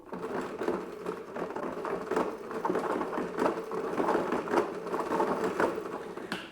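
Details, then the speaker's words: Powersmart 80V battery self-propelled mower, new, on its first mow. Lifted with wheels spinning, the rear wheel gives irregular sharp clunks over the drive whir. Owner suspects wheels and gears are misaligned or a part is broken; intermittent clunk. "Something else that I noticed as I was making my third pass across my yard was that this rear wheel was making this kind of clunking noise every so often. The mower would be going down the lawn, you hear this random clunk, clunk, clunk."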